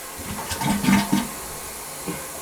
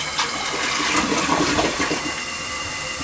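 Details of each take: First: Rental-property toilet that the tenant keeps having to plunge, possibly from a dropped object stuck inside. A kinked part is found. Short gurgling flush surges in a few weak bursts and dies quickly: partially blocked trap, weak flow. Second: Rental toilet after the valve was opened and something was pulled out. Strong rushing flush tapers into a smooth refill with a faint gurgle of paper going down: flushing properly.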